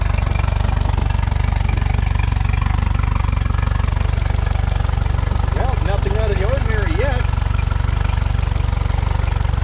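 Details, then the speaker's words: Mercury 115hp outboard on a fire-burnt Lund boat, running in neutral: steady, regular idle pulse around 158 beats a minute with no misses or knocks; pumping water and running clean after the fire, normal idle. "So far so good. Let's have a look around the engine. Pumping water means the means the uh color didn't get hot enough to melt."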